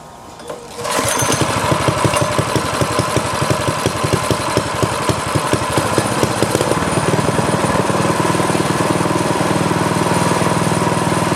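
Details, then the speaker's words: Craftsman tiller, LCT engine, seized after sitting 2-3 years, freed with PB Blaster, carburetor, fuel lines and tank cleaned: catches and runs steady, about four firings a second, no misses or knocks. "on all right so it's working the sucker was frozen before but that uh little shot of PB Blaster did the trick"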